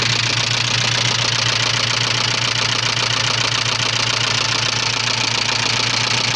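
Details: 1985 Subaru Leone EA82 engine at steady idle: a sharp, even knock about two and a half times a second over the engine; owner asks what exactly is knocking, source not pinned down.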